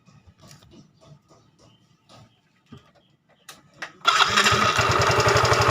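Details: Yamaha Fino 125cc fuel-injected scooter at startup, before repair: quiet fumbling, then it fires and settles into a coarse, quick clattering beat about four a second. Engine is very rough-sounding yet runs without power loss.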